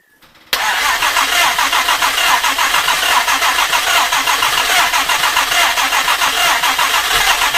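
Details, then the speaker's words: Jaguar E-Type 2+2 under restoration: steady fast cranking, three to four turns a second, no fire; carburettor dripping and weeping fuel, float level suspected wrong, timing not yet set. "i don't know i think right i mean that is dripping fuel i mean that's dripping out there which stock makes you think that float levels wrong"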